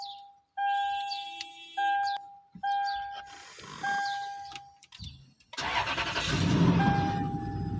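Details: 2010 Toyota Land Cruiser after fixing a no ignition, no crank, no start security fault by replacing the faulty part: repeating door chime, then engine turns over and catches cleanly into a steady run; starts normally.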